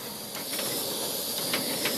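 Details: Snow Peak WG white gas stove turned all the way up: steady unbroken hissing roar with faint handling clicks; burning cleanly at full power.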